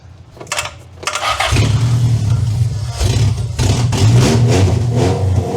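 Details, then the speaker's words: 2-liter van engine, first run after about 18 years sitting, with old low oil: cranks, catches, then revs in uneven, lumpy pulses never settling into a clean beat; running rough, needs fine tuning, cause unconfirmed. "So I think there is a lot of fine tuning that needs to be done to this thing."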